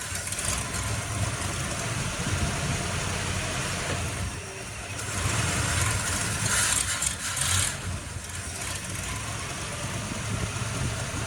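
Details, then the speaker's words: 1955 Chevy Bel Air "Lucy", carbureted V8, just restarted after a new fuel pump fixed a no-run problem, choke needing slight adjustment: steady, even beat swelling smoothly with revs, no misses or knocks. Running normally. "So, it turns out Lucy runs a lot better when she's got a fuel pump and when the choke sp a little bit needs a little bit of adjustment."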